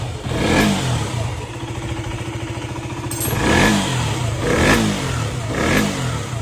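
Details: KTM 125 after replacing a faulty chain tensioner that caused knocking: single-cylinder revs up cleanly in four quick blips and returns to idle with no knock or rattle; healthy.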